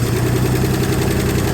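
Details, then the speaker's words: Neglected 1968 F100 with the 240 inline-six, running for the first time after sitting at least 20 years, fed fuel by hand with no water pump or fan: a rough low idle with a fast light tapping. The owner suspects weak lifters or a dry valve train. "Definitely noisy. So it hasn't run in a long time. But it's alive."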